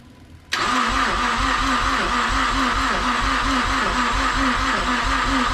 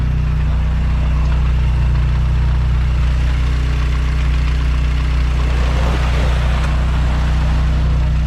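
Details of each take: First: Mazdaspeed6 after rebuilt high-pressure fuel pump installation, first start attempt: steady starter churning with about five compression pulses a second, never catching; cranks but won't start. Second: Mazdaspeed6 after rebuilt high-pressure fuel pump, first start: deep, steady idle with an even low rumble and no knocks, ticks or misses while warming up; no check engine light, charging at 14.2 volts, runs normally.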